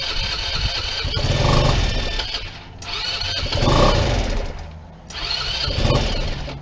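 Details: PGO T-Rex 150 scooter (about 2012), unused for years: fires, revs, then sags and nearly dies in repeated surges about every two seconds; idle and main jets blocked, carburetor diaphragm possibly cracked.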